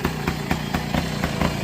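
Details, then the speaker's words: 1968 Benelli Leoncino Scrambler 125cc two-stroke running loud and hollow, pulsing unevenly about four times a second, fitted with an unsuitable four-stroke silencer; wrong exhaust fitted, to be replaced with a two-stroke can. "That's your exhaust I had on it, which is obviously totally wrong. It's a 4-stroke something or other."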